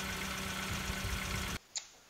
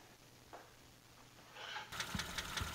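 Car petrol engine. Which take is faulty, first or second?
second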